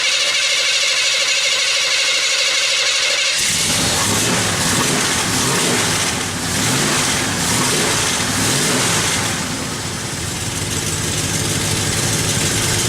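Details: El Camino at idle: sharp hissy ticking at about three puffs a second over the engine note from an exhaust manifold leak; the back flange bolts were missing.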